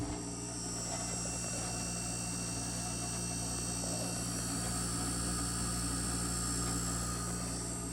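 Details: 1971 GM Montgomery Ward Signature 6,000 BTU window air conditioner, about 50 years old, run in a cold room after switching fan speeds: steady, even hum with smooth fan rush, no knocks, rattles or squeals; healthy.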